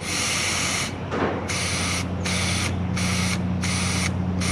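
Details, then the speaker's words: Two-stroke single-cylinder ATV carburetor fuel inlet tested by blowing through the hose: air hisses past with float down, and short bursts cut off abruptly when float is raised, needle valve shutting fuel flow properly after cleaning. "ya escucharon cómo es que cuando lo subo él automáticamente se cierra o ya no dejar pasar gasolina"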